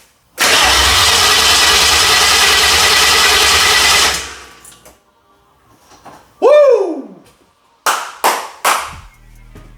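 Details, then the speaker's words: Mercury Marauder with swapped SVT Cobra Terminator engine, second crank after the swap: about four seconds of steady, even starter churn with no catches, knocks or grinding. Balanced compression. "Oh, sounded good. Woo! Nice even compression. You can actually hear it firing out of the headers."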